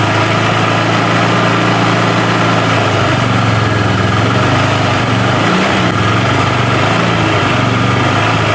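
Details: Honda Vario 110 scooter that stalled after short rides, oil empty; after oil change and coolant refill: even, steady idle with a smooth low hum, no misses, knocks or hunting, holding speed throughout.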